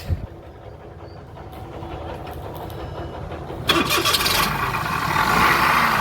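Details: Toyota Vitz engine: after quiet cranking it idles with a rough, gritty rushing noise. With the belt off and the pulleys hand-spun, the water pump bearing is found gone (compressor pulley also slightly noisy), so the whole water pump needs replacing.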